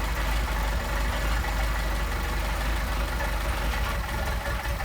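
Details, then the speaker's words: Mercedes 190SL with Solex carburetors, already balanced, at idle: uneven idle that lopes and stumbles every few beats as the idle mixture screw is turned in or out; set at the midpoint between the two stumbles. "Screwing it in, it's going to stumble. Screwing it out, it's going to stumble."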